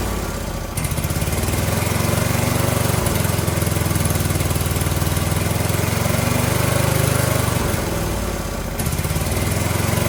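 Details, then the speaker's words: Briggs & Stratton 18 HP Vanguard, first run after hanging a replacement muffler, with a huge change in sound: loud, lumpy low putter with uneven firing that swells and sags. Owner suspected air and fuel starvation, but the choke had been held too long. "Okay, so this was user error, as some of you have already guessed. I got kind of confused, dyslexia, holding the choke in the wrong position for too long."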